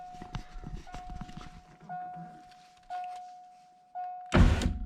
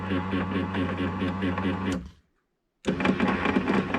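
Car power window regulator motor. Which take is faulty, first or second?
second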